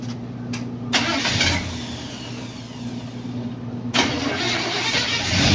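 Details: Freshly built 350 Chevy V8 running during break-in after valve covers tightened to stop leaking: fires up and settles into a steady idle with a couple of quick blips; pulls strong and even.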